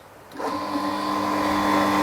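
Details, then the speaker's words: Shimizu water pump started with casing nearly filled with water (primed): motor spins up within half a second to a steady hum and whine, water rises immediately; normal start with primed casing, unlike the air-filled casing before. "Nah, perhatikan, air segera naik seperti ini."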